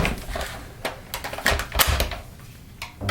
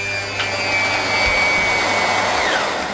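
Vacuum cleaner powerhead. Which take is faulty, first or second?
second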